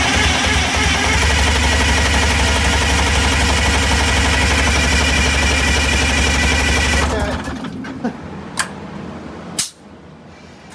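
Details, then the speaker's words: Eagle bus diesel after hydraulic-to-belt-drive fan conversion: sharp even puffing ticks about four per second over heavy diesel rumble until shutdown, from an exhaust leak on the after (outlet) side of the turbo. "There's an exhaust leak on the turbo, but it's on the after side of the turbo."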